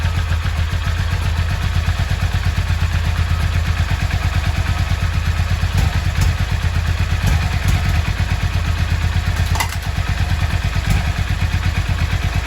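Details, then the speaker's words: Yamaha XV 535 Virago V-twin, laid up about 10 years, just started: steady even low thump at fast idle, no misses or rattles; runs properly. "Ja, letzter Start versucht. Hat geklappt. Der Motor läuft, ich bin zufrieden."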